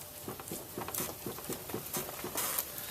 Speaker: you could actually hear that bearing clunking around there as I move this